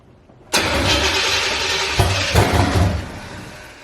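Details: C4 Corvette started after replacing the EGR valve, which owner suspected caused stalling: engine catches abruptly, runs roughly a couple of seconds, then sags and dies; it still won't keep running, so the cause is not confirmed.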